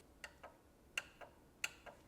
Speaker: You can hear the solenoid clicking.